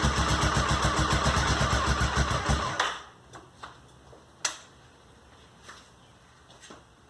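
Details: Honda SuperHawk 996 (VTR1000) V-twin just reassembled after rebuild, fresh coolant: even, loping beat about three and a half pulses a second, then shut off; normal warm-up idle, though coolant climbed quickly to 102 and smelled hot.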